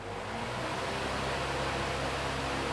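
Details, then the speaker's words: Usha pedestal fan after condenser replacement and reassembly: an even, steady whoosh with no hum or rattle. The fan now spins smoothly. "చాలా smooth గా అయితే తిరుగుతుంది fan చూశారు కదా"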